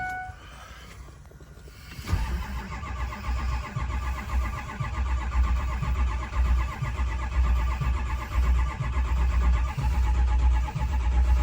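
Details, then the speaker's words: Ford 6.0 Powerstroke diesel, dead cold morning start after glow plug warm-up: a couple of chimes, then steady cranking with no start. It started after double priming the glow plugs, with ICP reaching almost 900 psi before firing. "Looks like nada. So I shut the key back off. I double primed it with the glow plugs, and it started."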